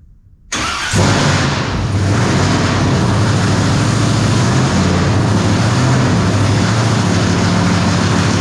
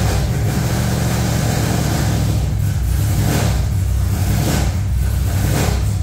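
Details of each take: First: V8 after fixing a ground wire: catches at once and settles into a steady, even rumble with no misses; normal idle, hitting on all eight. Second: V8 just fired up: heavy, lumpy idle with uneven stumbling beat; one bank not firing because that bank's coil ground wire was left unhooked, first suspected as ignition wires.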